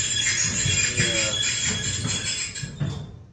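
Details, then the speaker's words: Maytag Bravos dryer running: shrill, rhythmic squeaking that pulses with drum rotation, above the motor hum. Owner suspects the idler pulley; unconfirmed. "my dryer is making squeaky noise so i think it's probably the idler pulley let's listen"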